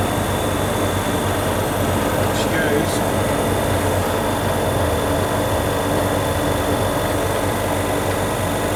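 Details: Prestcold 1/2 HP compressor on a 90-gallon Fullwood milk tank after a no-start: steady low constant hum, no clicking or stalling; suspected start-relay contact (cleaned) or loose/broken wires, 40+ year old capacitor wires replaced, running fine since.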